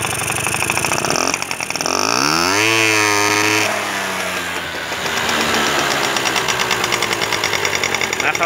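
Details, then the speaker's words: Honda scooter that would not rev, carburetor main jet removed: starts and idles on the idle circuit, revs up with climbing note, then bogs and stumbles near full throttle, flooding too rich, though it reaches needed revs at part throttle. "Конечно, если даешь полный газ, его заливает, но на определенных оборотах и то, что нужно, он выходит."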